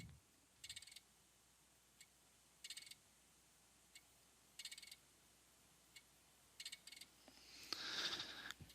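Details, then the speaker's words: Keysight DAQ970A data acquisition unit scanning channels, with the microphone near the instrument. Quick bursts of crisp clicks about every two seconds over a quiet hum; the relays are switching normally. "I'll move the microphone over near the DAQ970 so you can hear the relays actually clicking."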